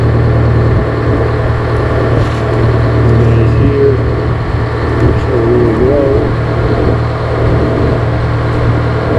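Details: GM 4-71 two-stroke supercharged diesel, about 160 HP, probably 50–60 years old, Frick sawmill engine, warming up unloaded before a secondary fuel filter change: loud, deep, even drone with a steady fast beat, no knocks; normal idle.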